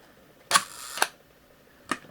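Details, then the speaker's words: Leica IIIb camera shutter on 1/4 s slow speed: release click, about half a second of buzzing, then a late closing click; slow-speed mechanism sluggish. "And pretty sluggish. On the 1/2 second setting, and the full second setting, I hear it trying, but it's struggling."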